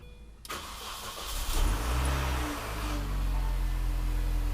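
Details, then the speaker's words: Gen 1 MINI Cooper (R50/R52/R53, 2002–2006) after timing chain tensioner replacement: cranks, catches, settles into steady even idle with no chain rattle; normal start and idle. "sounds good so now it sounds nice and normal"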